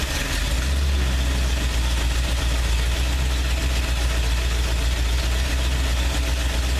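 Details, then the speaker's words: Freshly rebuilt 302 V8 (first rebuild), just started after an oil change, idling: deep steady burble with even beat, no ticks, knocks, rattles or smoke; clean healthy idle. "beautiful come out good no rattling no knocking no smoking everything's doing good"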